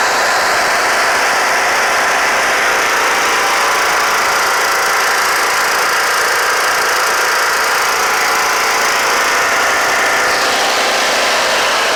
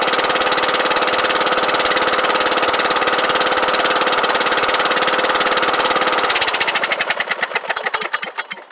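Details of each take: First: Kohler Courage 18 hp on Troy-Bilt Bronco riding mower after valve cover resealed with cork gasket plus sealant; loud steady single-cylinder drone, even speed, slightly harsh, no misses or knocks; smoking stopped, engine mounting bolt still loose. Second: Kohler Courage 18 hp on Troy-Bilt Bronco riding mower run briefly with muffler removed to check for exhaust-port smoke; loud raw crackling bark, pops at shutoff; smoke likely from buildup in muffler, valve cover leaking.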